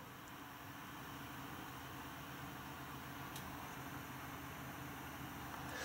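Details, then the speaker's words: NVIDIA GTX 980 reference graphics card fan in a Dell XPS 8700, about 37–38 dB at the desk, around 50 dB inside the case: quiet even fan hiss with faint steady hum, no rattles or ticking, normal. "Now remember, it normally isn't even at this high. It's normally not even this high or this loud. 37, 38 decibels, somewhere in there."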